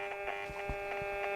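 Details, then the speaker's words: Hacker Mini Herald RP17 radio with shorted AF117 transistors gives a steady buzzing hum with faint ticks and no stations; RF on a base but none on collector or emitter, oscillator stage dead. "So we've got no RF on the collectors of these. We got RF on the base of that one, but nothing on the collector. So where are we? So you can hear RF there. Yes. No stations."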